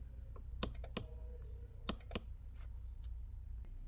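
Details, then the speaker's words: Mercedes CLK W209 electric headrest: sharp relay clicks come from the seat module under the seat when the switch is pressed, but no motor whirr follows; a mechanical fault in the headrest mechanism is suspected. "so when we use this button up and down and we hear a click from under the seat which there is the seat module there like this case you can hear the click the relay from the under the seat"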